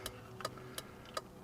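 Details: 2004 Toyota Corolla with LED turn signals, after replacing the flasher with an LED flasher: crisp, even ticks about every 0.37 seconds at a steady slow rate, no hyperflash; the flasher is working normally.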